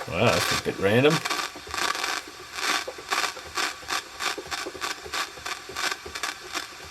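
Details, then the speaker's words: 80s Hanimex radio (HR1300/HR1225 pair) check-over: scratchy crackling bursts about once a second while tuning, stations barely catching and nothing at the bottom end; owner suspects a dicky switch and probably a dodgy tuning cap. "Dicky switch. Probably a dodgy tuning cap as well."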